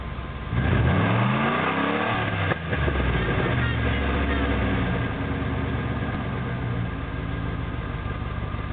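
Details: 1994 Jeep Grand Cherokee with 318 V8, tailpipe broken off: loud, raw, booming rumble that swells on the blip, then settles to a deep throaty idle; open exhaust from the missing tailpipe.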